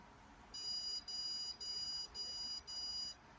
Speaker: so here we got a case of it being at a high level and it says you should consider opening a window as you could hear there were five beeps which were relatively short